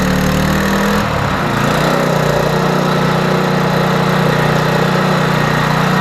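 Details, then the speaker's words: Troy-Bilt 2800 psi pressure washer small petrol engine after a mini clean of its gummed-up, gas-leaking carburetor: even, steady buzz at constant speed with no surging or misses; runs smoothly. "look it's not flooding anymore no more gas running out so this Pope should have oil in it so we should be able to start it up"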